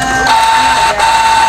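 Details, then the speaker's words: Canon iP2770 printer that powered on briefly then died, after repair: short steady high motor whir with brief pause and smooth restart; no error, error light off; normal printer motor running. "uh sudah bisa jalan ya dinamonya perhatikan berhasil ya saudara-saudara kita berhasil sudah tidak eror sudah tidak mati"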